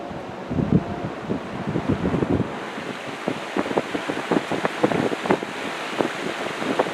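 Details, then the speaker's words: Old box fan after oiling the motor bearings, before fitting thrust washers: a steady rush of air with no scraping or rattling. It is much quieter than before, though excess shaft end play remains and thrust washers are still needed. "Oh man, even without them, it's so much quieter. Wow. So, just oiling it made all the difference there."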